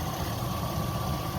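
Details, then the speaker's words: 2005 Chevy Silverado 5.3L V8 after water pump, oil pump, timing chain and A/C compressor replacement; smooth steady low idle with no ticking, knocking or chain rattle; coolant good, running nice and quiet. "there you go uh water's good running nice and quiet"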